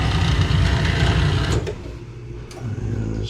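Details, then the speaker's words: Residential gas boiler on baseboard heating, started in June after the noise began two weeks earlier: low steady buzzing drone chattering at startup then settling; gas valve vibrating, technician expects it to fail and needs replacing. "it's just uh I don't know what that can do if it's making that noise but I'm even gonna find out well it's gonna fail that's what's gonna happen"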